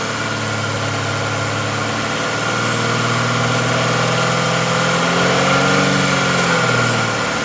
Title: Mazda cx9 2013 popping or clicking noise from intake manifold